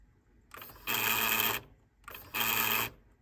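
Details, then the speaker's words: Brand-new Nakamichi Dragon cassette deck, torque measuring 40–55: two short bursts of harsh hissy mechanical whirring about 1.5 seconds apart; not enough friction, transport struggling, belts to be replaced. "so 55 is normal torque and here is the sound that's where not enough friction I believe"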